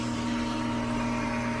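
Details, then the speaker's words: Pool pump after repriming, run 30–40 seconds with no visible air being drawn in and air purged from the piping: smooth, steady motor hum at constant pitch, no gurgling or sputter; normal running, fully primed. "Once it's been running, you know, not sucking in air anymore that you can see, you know, for a good 30-40 seconds or so, and I feel pretty comfortable that I got all the air out of my piping system."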